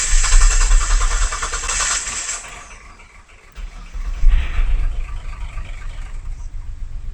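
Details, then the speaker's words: Mitsubishi Legnum with replacement engine, runs only while the cam angle sensor is probed with an earth: short crank, uneven lumpy chug surging and sagging, dies when earth removed; wiring fault suspected; rough running then stalling. "See, it doesn't sound great, but it does start to run. And the other curious thing that it does is as soon as I remove the earth for the probe, the car dies straight away."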